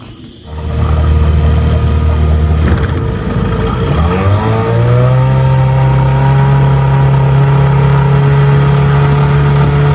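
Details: 2002 Lund 1236 jon boat with 6 hp outboard on test run: revs up then settles into steady, even buzzing drone with no misses or knocking; took a while to plane, held 13, touched 14; healthy running.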